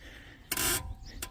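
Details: BMW X4, parked car's rear suspension rocked: a loud dry rasping creak, then a shorter one, from a corroded joint behind the rear disc and caliper, fixed cheaply with Würth 2040 penetrating lubricant.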